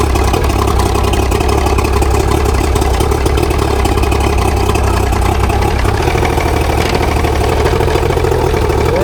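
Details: Mercury 90HP outboard, a trade-in take-off after a repower, started on choke then cranked without choke. Even low drone with a regular idle beat and no misses or knocks; shifting works; idling healthy.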